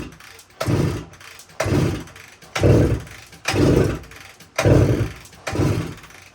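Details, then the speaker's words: 1972 Suzuki TS185 motorcycle, fuel valve on, key on, some choke: six heavy kick strokes about a second apart, each a churning thump, never catches; compression test still very low even with head gasket ring, owner suspects worn rings. "so I'm not having any luck getting this thing to run uh so I decided to run another compression test here and looks like we're still really low"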